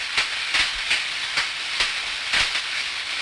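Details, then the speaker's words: Ultrasound recording of electrical tracking on an insulator, taken 30 days after an earlier recording: irregular sharp crackling pops over a steady hiss, more frequent than before, suggesting the discharge has worsened over time. "oh boy a lot of popping going on there isn't it"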